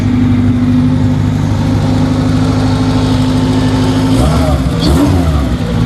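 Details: Engine at a Subaru dealership, just after an engine rebuild, first startup: it catches and holds a steady, even idle for a few seconds, then is blipped. Smooth running with no knocks or ticks.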